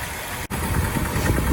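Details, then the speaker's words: 1987 Ford F-150 4.9 L (300 cid) inline-six petrol idling rough on five cylinders: uneven low throb with clickety-clack ticking; engine considered done and being swapped. "You hear that clickety clack? This motor's done, and I'm gonna be glad to get rid of it."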